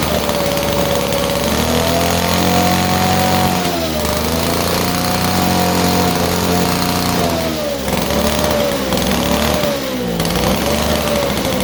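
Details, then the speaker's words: 1947 Chicago-made two-stroke Mall 6 ft chainsaw, barn find unrun for over 40 years, first start on a cold day; loud, buzzy two-stroke at high revs, pitch rising and dipping as throttle is worked; running strong, normal. "so yeah anyway so we got a running machine at idles now too so that's cool"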